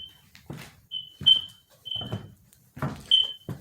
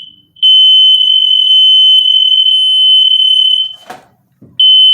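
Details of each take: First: okay you hear it beeping because it's letting me know that i have to put the battery in but i'm not going to put the battery in until after the paint job Second: Newly installed interconnected smoke alarms, batteries not yet fitted: pressing one test button sets all alarms off with a loud steady high-pitched tone, stopping briefly then resuming; normal.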